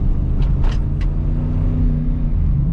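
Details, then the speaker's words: 2001 GMC Yukon driving after transfer case and rear diff repair, formerly clunking on takeoff: steady low exhaust drone, no clunks, whine or grinding from the driveline; quiet after repair. "I hear is the exhaust. Nice."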